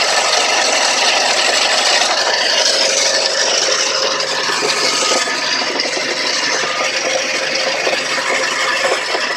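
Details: Hyundai Sonata 3 engine knock: fast, fairly regular metallic tapping about three per second over rough clatter near the engine, cause unknown.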